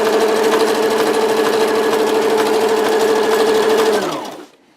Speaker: ну все супер ремонт окончен видите строчка отличная идеально ничего не стучит